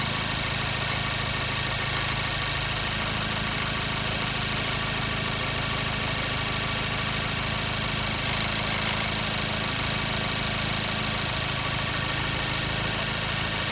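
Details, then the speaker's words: 2014 Mazda 3 2.0L at warm idle, 10 minutes running, P0302 cylinder 2 misfire: uneven stumbling beat about three times a second; cylinder test showed no difference, so ignition side likely ruled out; before repair. "Once again, our code is showing that we have the number 2 misfire happening significantly."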